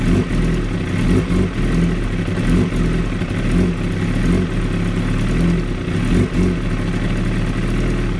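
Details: 2016 Kawasaki ZX-10R: idle surges and dips every second or so with uneven lumpy firing and clatter, never settling; very rough idle, cause not found.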